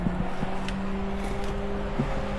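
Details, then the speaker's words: AU Falcon burnout car (Intech engine) with a newly wired cooling-fan override switch on ECU fan 1: a constant low hum with a steady tone and no rubbing or rattling. The owner thinks the little fan came on rather than the main fan. Normal fan operation. "And as you can hear, I now have fan on. Wait, I have the little fan on, I think."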